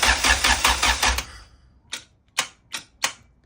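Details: Honda Civic EK with B-series swap, after installing a Carrot Top Tuning tuck engine harness and sub harness: brief cranking, then starter quits with single clicks; power cable disturbed, causing solenoid contact issue.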